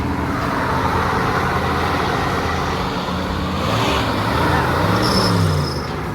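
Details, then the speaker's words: 1983 Chevy V8 motorhome, sat about 10 years, running on nearly 10-year-old gas after battery charging: deep, even rumble holding steady with a slight rise in revs, no knocks or misses, exhaust smoking heavily; runs smoothly. "Sounds like a bell. Listen to that. Well, for this thing being on almost 10-year-old gas and not running, it's running really well."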